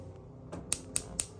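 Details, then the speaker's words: Wolf gas stove igniter after cleaning burner plate and reassembly (previously constant clicking/no ignition): four sharp crisp spark clicks about four per second, spark now stronger. "what we're going to do next is that we're going to see if we have a good spark connection here so I'm going to go ahead and push the igniter"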